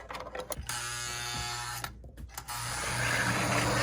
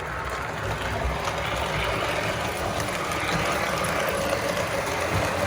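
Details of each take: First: Lionel 736 Berkshire model locomotive motor whirring with a labored, gritty gear noise, running tight and needing service. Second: First Lionel 736 Berkshire after cleaning, running forward then neutral: steady, even motor whir with light gear hum and no knocks or catches; normal running.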